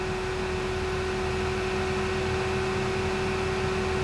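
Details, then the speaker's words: 2001 Ford Taurus, fan on low: steady mid-pitched hum of the A/C compressor engaging on AC and Max modes under soft fan hiss; normal operation, compressor also runs in panel/vent blend mode by design. "you can hear the compressor Turn on when I put it on AC obviously it stays when I go to Max"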